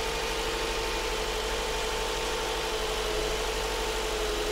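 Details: Subaru Forester with a replacement engine, swapped after the old one burned oil with low compression in all cylinders, first start: smooth, even idle with steady hum, no knocks or ticks; brief initial chatter gone once oiled, running normally.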